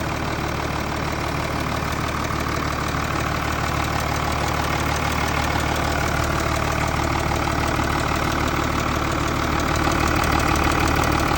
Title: Стук om656 g class (knocking/noise)